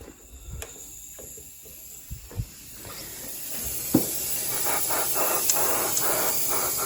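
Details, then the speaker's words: Honda Civic EG with turbocharged B16, boost leak test with air pressure put into intake: a few taps, then a steady airy hiss building and holding from a crack under the intake manifold; boost leak from cracked intake manifold. "the actual manifold is cracked so that needs fixed so it's cracked underneath I can't show you but you can hear just doing this to the bottom of the manifold so we've got three little boo leaks"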